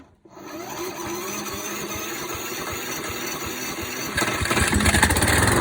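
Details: ATCO Liner 19SE V mower, Briggs & Stratton 675IS Instart engine converted to Makita 18V battery start: starter spins, engine catches after a short hesitation, settles into even steady idle with busy clatter; slightly slow start blamed on 2-stroke mix fuel instead of regular unleaded. Normal.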